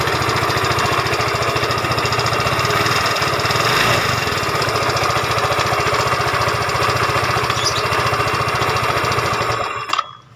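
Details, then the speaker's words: Yamaha Fino 125cc fuel-injected scooter idling with CVT fan cover and cable fitted: coarse, uneven mechanical clatter over the steady beat, still rough; CVT ruled out, next checking valve clearance, cam chain tensioner and camshaft bearing. "Oke, itu kabel sudah terpasang, suaranya masih lumayan kasar ya."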